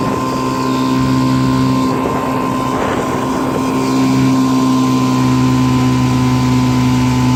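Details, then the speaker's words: 1955 Johnson CD-12 5.5hp outboard built from mixed parts with eBay Hong Kong coils, first pond run on a boat under load: steady droning buzz, even firing, constant pitch; runs clean, though the coils won't let it idle as low as OMC coils. "fire it up here and show you how it turned out she's not real pretty but it's it's good runner so happy with it"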